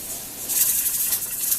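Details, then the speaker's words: Pressure canner with cold-pack navy beans at operating pressure, heat adjusted so the weight jiggles every three to four minutes. Rapid hissing rattle of the rocking weight venting steam in a steady rhythm; healthy canner. "you want it to be jiggling off and on every three to four minutes so and i have to adjust my temperature to keep it in the right"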